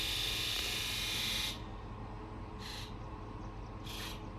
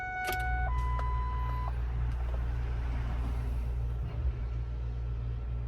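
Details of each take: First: Ford F550 7.3L Powerstroke diesel with newly installed injectors and glow plugs: injector buzz test, crisp high-pitched electric buzz, one long burst then two short ones, even and clean; all injectors sound good. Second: Ford F550 with 7.3L Powerstroke after new injectors and glow plugs, batteries on charger: quiet, then starter spins the engine fast and steady with no catch or firing; cranks but won't start.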